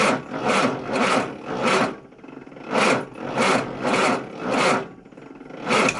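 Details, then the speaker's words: Austin Allegro 1300 Super, first start attempt after months stored in garage on a cold day: slow, labored starter grinding in uneven bursts, never catching; flat battery. "that, ladies and gentlemen, is what a flat battery sounds like. I'm very embarrassed about that."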